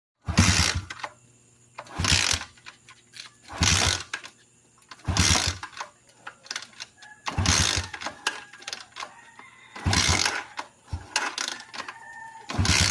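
Repeated short cranking bursts about every two seconds, each dying without the engine firing up; the bike cranks but won't start.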